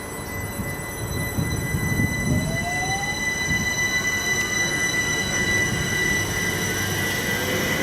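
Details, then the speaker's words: UK IGBT traction inverter, as on the 2009 stock and Electrostars: a fixed carrier-frequency whine, then a tone sweeping upward as it shifts into pattern switching with speed; normal behaviour. "to solve this we can start out at this fixed carrier frequency but as we get faster we need to go back into pattern bsing this is heard on trains like the 2009 stock and the electro Stars"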